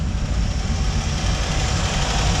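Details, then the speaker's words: 1957 Chevy V8 idling after chatty valves cleared up without adjustment; fresh oil expected to help further: even steady smooth low rumble with no valvetrain ticking; healthy. "i don't think we really need one right now this sounds way better and like i said fresh oil probably help it even more"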